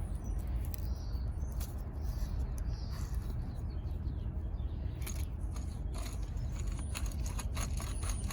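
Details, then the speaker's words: Chevrolet Cobalt old hub assembly removed, turned by hand: steady rough grinding rumble with scattered gritty ticks; worn wheel bearing, replaced with a new hub. "here's the old one and it makes a heck of a noise see see if you can hear it"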